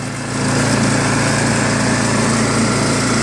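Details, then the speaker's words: Craftsman 24-inch 5 hp snowblower with Chinese Loncin/PowerMore engine and electric start, after carburetor cleaned of ethanol gum: catches and settles into a steady, even fast run with no misfire or hunting; normal running. "Other than that, engine sounds really good, you know. Seems to work very well too."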